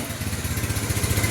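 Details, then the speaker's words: Yamaha Mio Sporty scooter with hard starting and an unstable idle; idle adjusted, an even, steady putt-putt at low idle with no hunting or misfire. "Ayan, sakto lang 'yung menor. 'Yan oh."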